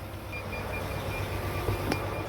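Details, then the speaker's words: Semi truck (Volvo) being jump-started from a Mack truck, cranking attempt fails: short high beeps repeat evenly over low steady rumble, low battery warning and neutral not detected; battery needs more charging. "no it didn't start you can't hear the the low battery going off in the back neutral not detected"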